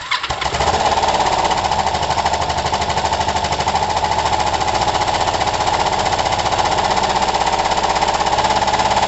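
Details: Kawasaki ER-5 twin, running with good spark on both cylinders and new coils. A choppy, hammering, uneven beat with spitting back-pops: rough running and backfiring, perhaps slightly better. The owner suspects a carb fault.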